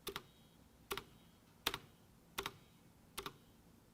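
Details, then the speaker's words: A4tech Bloody B760 keyboard with orange Light Strike optical switches: each spacebar press gives a harsh double clack with rattling, buzzing tail under a second apart; the two spacebar stabilizers rattle. "Даже пробел, который оснащен двумя дополнительными стабилизаторами и который греметь не должен, от этих стабилизаторов гремит еще жестче, даже жужжит, послушайте сейчас."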